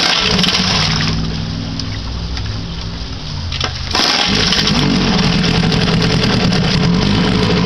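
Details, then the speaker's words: 1959 Mercury Kiekhaefer Mark 6A two-cylinder two-stroke outboard, first start in three years on the same three-year-old fuel, choke on, in neutral; buzzes fairly evenly after a short stumble, then runs steadily — normal running. "goddamn sounds like she wants to run even on old gas"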